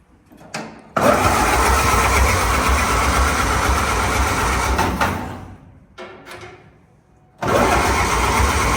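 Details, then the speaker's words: 1929 Ford Model A, said to be locked, with decent compression by finger test, positive-ground wiring and no oil in the engine: starter grinds in steady bursts with ragged chuffs and pops but never runs; plugs likely wet, fuel dripping from exhaust. "Pops I think those plugs is really like wet probably I hear it dripping somewhere dripping everything out of the exhaust"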